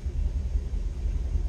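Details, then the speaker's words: Twin-inboard boat at idle after a throttle blip emptied water from the baffled exhaust muffler: low, soft rumble with no knocks, ticks or whine; still quiet while the muffler refills, unlike the louder other engine; normal. "and I can hear it's quiet, still nice and quiet. This one here, running, hear how it's loud."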